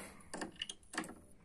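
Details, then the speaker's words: Seagate drive inside Silicon Power Diamond D30 external case, previously opened: only faint ticks and buzzes, no spin-up whine; spindle motor twitches, seizes and is burnt. "вот он жестко идет и его клинит это двигатель сгорел"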